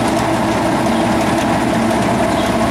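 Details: Tractor (7410) after repair, in park with back window open checking for oil leaks: a deep, steady diesel idle with no knocks or misses, running evenly.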